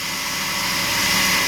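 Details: Restored Suzuki, freshly rebuilt engine with new pistons, rings, cylinders, redone head and adjusted valves, just started and warming up unadjusted: steady even idle, hissy top end, no stumbles or misfire.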